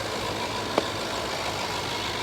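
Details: 2011 Range Rover Sport HSE Luxury, repaired after a blown head gasket, finished for sale: quiet steady idle with even hum, no misfire, tapping or hiss, one brief click aside; runs smoothly.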